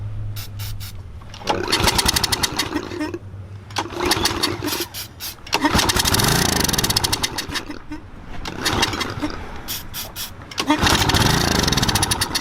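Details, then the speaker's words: Troy-Bilt 2800 PSI pressure washer, model 020568, Briggs & Stratton engine: repeated pull-start cranking with brief sputtering catches after carb cleaner spray, then dies; no fuel getting through the carburetor. "[Joe] Well sounds like Carbs not like you said We're not getting any gas Through the carburetor"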